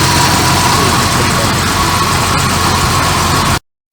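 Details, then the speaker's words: Barn-find Jaguar Series 3 V12 idling smoothly after fuel tank cleaning and new solenoids; faint irregular stumble in exhaust beat, a miss on both banks despite injectors testing okay; owner may pull plugs, cause unconfirmed. "Still sounds like she's starting with fuel. Definitely missing a bit. I've got a miss on both tanks."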